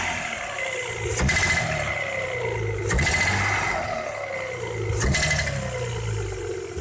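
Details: Audi 3.0 V6 BBJ: ringing knock on sharp throttle and under load, vanishing when cylinder 1 coil or injector is unplugged. Persisted after new cyl-1 rod bearings, rings and seals. Sharp tinny metallic clatter on each blip. Cause: exhaust manifold's internal baffles fell off inside.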